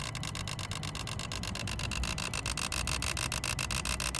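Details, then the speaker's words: Renault Modus 1.5 dCi non-runner with no communication to the engine ECU; the radiator fan runs at ignition-on and the immobiliser light flashes. A relay chatters with fast, steady clicking, about three or four a second, over a faint hum and is suspected faulty. "Okay guys, I know you can't really see in there, but let me show you this. Let me show you this. This is a relay, yeah."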